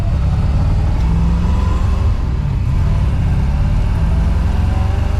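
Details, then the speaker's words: 1966 Corvette 427/425 hp big-block V8 with a new Tremec TKO 600 five-speed and 4.10 rear, after a test drive: a deep rumble with an uneven, lumpy beat that never settles. It is running rough, possibly misfiring; plug wires were checked and are fine. "we got a problem this thing is not running like it should I don't know um what is going on"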